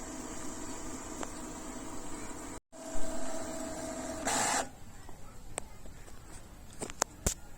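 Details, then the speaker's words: Epson EcoTank L3150 with poor print quality, doing manual nozzle cleaning with start light blinking: soft mechanical whirring, brief motor buzz and scattered clicks as the carriage parks; somewhat noisy but normal cleaning cycle. "So as the manual cleaning of the nozzle head continues, you're gonna continuously hear this sound. It's a bit noisy, you know, but not overly."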